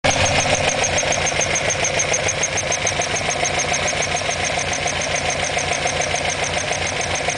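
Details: Alfa Romeo Alfetta GTV 2.0 L engine at idle: a regular, crisp ticking knock about three or four per second over the engine hum; cause not identified.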